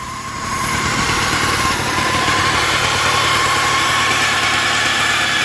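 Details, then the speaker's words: 1979 Yamaha DT175 Enduro two-stroke, oil injected, started after plug cleaning and fresh gas: it idles with a steady high howl around one kilohertz and won't go into gear; the gearbox oil had not been checked, and the clutch may be stuck. "I can't get it in gear there a lot of a lot of howling going on somewhere too I don't know what it is"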